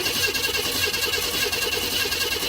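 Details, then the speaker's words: 1992 Chevrolet Camaro RS V6 with new fuel pump, fuel filter, spark plugs, cap, rotor and injectors; starter believed good: fast, even, strong cranking for a few seconds with no firing at all; crank, no start. "This is a 92 Camaro RS crank but no start."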